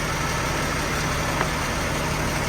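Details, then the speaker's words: 1996 Jaguar XJ 3.2 with coil-pack ignition, warm petrol engine idling with a slightly uneven, lumpy beat from a slight misfire. "okay so today we have a Jaguar 1996 Jaguar X J 3.2 has come into laws it's got a slight misfire"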